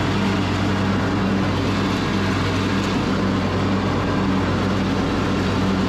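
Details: Craftsman YS4500 riding mower, 21 hp single-cylinder, after fresh oil, air filter, third carburetor and new fuel filter: steady, even engine drone with no misses or knocks, holding speed smoothly; runs properly.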